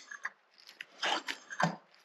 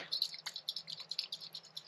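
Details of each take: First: SU HD8 carburettor from a Jaguar XJ6, being rebuilt: after tightening the jet and lifting the piston, a few light taps then one clean metallic click as the piston drops and seats; jet centred properly, normal piston drop click. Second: SU HD8 carburettor float from a Jaguar XJ6 being shaken: quick light rattles with a soft liquid slosh inside from fuel trapped in the brass float; leaking float, to be replaced with foam floats.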